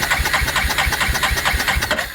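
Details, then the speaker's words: 1987 Yamaha Moto 4 350 (YFM350ER), stator, CDI, ignition coil and starter relay already replaced: quick, even cranking around eight beats a second that never fires; no spark, traced to a miswired ignition switch. "All right. No spark."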